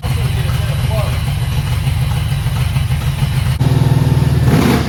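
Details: 1991 Mustang 5.0 LX, high-mileage stock shortblock, F-303 cam, after clearing trash from the injectors: steady, even low rumble with no misses or stumbles; normal idle.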